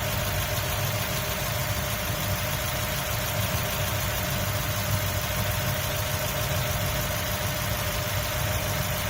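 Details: 2003 Mazda Miata MX-5 at steady idle: a faint, fast, repeating high chirp rides over the engine hum; the engine chirp's source is unclear.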